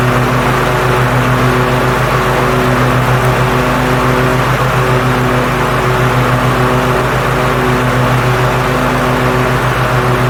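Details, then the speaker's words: 2021 Cub Cadet ZT1 50 zero-turn mower with blades engaged after replacing an overstretched deck belt: steady, smooth engine drone with no squeal or shudder, deck running normally with no excessive vibration. "but that is now behaving normally I don't see the excessive vibration in the deck I don't hear the funny noises I was hearing so I would say at least short term that my culprit was indeed a belt"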